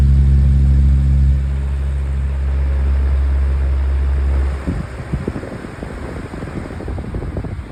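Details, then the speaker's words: 2024 Lasko 1823 18-inch pedestal fan on high speed: deep steady hum with a rhythmic thrumming wobble about four times a second from an out-of-balance blade needing replacement. "I will eventually get the roof blade replaced it so it's not to be like this cuz yeah."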